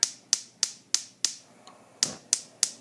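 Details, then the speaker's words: Gas stove top burner knob pushed in and turned: sharp, even igniter ticks about three per second, one skipped, in a quiet room. Normal sparking before the flame lights. "so I'm going to push in turn to the left to turn on the gas and then the flame appear and then you want to lower the heat to your desired temperature again I'm going to turn it off by going the opposite way the gas again you'll hear clicking"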